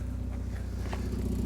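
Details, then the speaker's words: Mazda MX-5 with 56,000 miles idling after a cold start, listened to at the rear exhaust with a hand placed over the tailpipe. Steady low idle pulse with a faint puffing hiss on each beat; the exhaust is blowing, indicating a leak. "See how it's blowing a bit if I just, yeah. You can hear it, put my hand over it. Yes, that's blowing."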